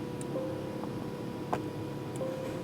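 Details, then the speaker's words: 2007 Mazda Miata MX-5 with check engine light, a known-good Mazda 3 solenoid plugged in for testing: faint sharp clicks about every half second as power is switched; good solenoid actuates, so the original solenoid needs replacing. "and I don't know if you can hear that but it is clicking so I'm basically in the end it just needs a solenoid"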